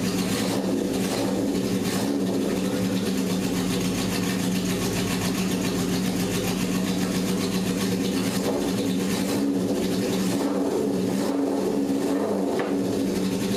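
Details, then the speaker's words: Barn-find 1978 Honda CB750K with rebuilt engine, on choke, after setting the idle mixture screws to 1.5 turns (fourth attempt): the engine catches and holds a steady, fairly even mid-pitched run with slight waver. It starts with good compression. "But it did. We had compression. It started."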